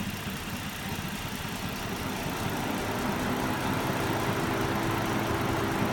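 Idle has an uneven, lumpy pulse with a faint shake in the rhythm instead of a steady hum; rough idle, cause unclear.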